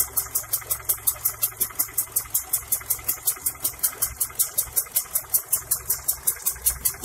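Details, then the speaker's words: Honda Accord Prestige with distributor ignition timing set too retarded: fast sharp ticking over a low, uneven, shaky idle; engine sluggish with very low idle speed. Rough idle from retarded ignition timing. "kemudian kalau dimundurkan ini mobil cenderung lemot irit kursi putih Kalau dibuka businya dan getar teman-teman jadi sangat rendah langsamnya stasioner"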